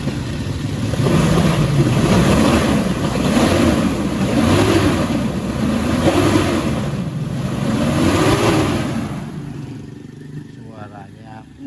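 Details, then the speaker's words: 1997 Toyota Kijang Kapsul SGX during warm-up: throttle blipped about every second and a half, revs rising and falling cleanly with no knocks or misses; cobra-like hiss characteristic of a healthy Kijang. "ya seperti ular kobra itu adalah ciri khas dari sebuah kidang yang masih bagus"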